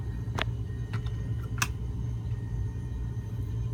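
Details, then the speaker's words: Cabin air conditioner with electronic AC thermostat on a Cruisers Yacht 340 Express Cruiser, running very well: a steady low hum with an even pitch and no rattles or surging. "Right now it's running very well. You can hear it."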